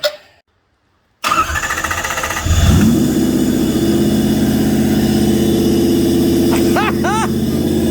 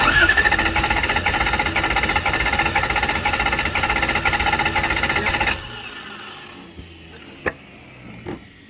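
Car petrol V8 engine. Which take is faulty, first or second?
second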